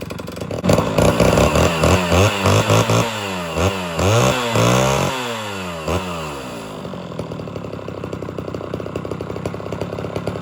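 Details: Homelite Super XL chainsaw, restarted without choke after 15–20 minutes off and tuned a little rich with exhaust smoke: fires, is blipped cleanly, then drops to a steady, even idle; normal start and idle.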